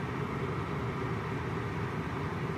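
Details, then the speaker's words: Maruti Ciaz diesel air conditioning, blower at high fan speed: steady, even rush of air with a low hum, no ticks or rattles; noise rises with blower setting but is only the blower; normal. "as you increase this blower the noise increases but it is definitely the blower knife not anything else"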